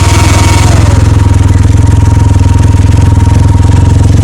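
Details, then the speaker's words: Can-Am Ryker just shut off after a ride on a very hot day: loud fuel pump whine audible once the cooling fans stop, found via forums. Steady pulsing note with a thin constant high tone. Not covered by recall. "It turns out it's the fuel pump. And it's a lot louder than it is on the video. Even with the, you know, you'll hear the fans coming on. Once the fans go off, you could hear it. It's bad."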